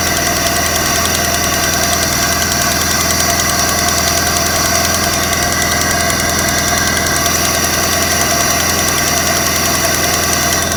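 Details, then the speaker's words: 1995 Vauxhall Cavalier MK3 X20XEV, 58,000 miles, warm idle after new auxiliary belt and tensioner: light fast ticking about three per second persists; owner suspected timing belt pulley/tensioner, found no pulley fault, now suspects a hydraulic lifter; unconfirmed. "still got that sound there that clicking sound maybe it's to do with the um the timing belt pulley attention or something like that"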